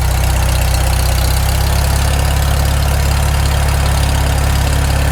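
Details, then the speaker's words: Farmall Super M tractor first start after full rebuild, still cold, on initial carb settings: steady even low thump at idle, no knock or tap heard; rebuilt engine sounds healthy. "it doesn't idle down too bad given just it's the initial carb settings i can't hear any knocks yet oh it's still cold it'll knock once it warms up"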